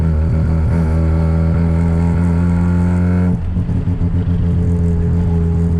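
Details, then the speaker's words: Home-built 13B rotary car on its first drive after trailing timing and accelerator cable work: a steady buzzing drone that suddenly falls off and stumbles, running lean; the carburetor is starving for fuel under load. The fuel gauge was on E and a Holley fuel pump was installed afterwards. "right it's pretty lean something's up righty so um first test drive didn't go very well I can just feel um instantly that the um carburetor is fully starving for fuel"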